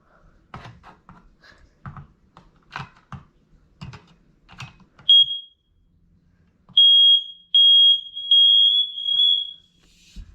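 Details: Smoke and carbon monoxide alarm during December test: handling clicks then piercing high tone in loud steady pulses, working normally.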